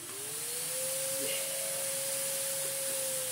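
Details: Electrolux vacuum cleaner from the Luton factory, long stored in a loft, switched on to check it still works; motor spins up to a clean steady whine with even airflow hiss, no grinding or rattling, running fine.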